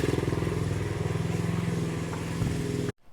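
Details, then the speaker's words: 1970 Honda CL100 single, about 11,000 miles, formerly seized engine now running again, still smoking; steady idle around three pulses a second, even, then cut off; normal idle, engine running properly. "guys I am counting this W right here from a stuck engine to it running and it sounds good"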